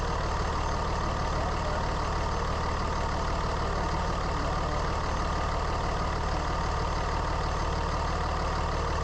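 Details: Constant howl over steady diesel idle clatter on a 3rd gen Ram Cummins running about 210; owner suspected turbo or fan clutch, stethoscope checks cleared pumps and turbo: worn alternator bearing.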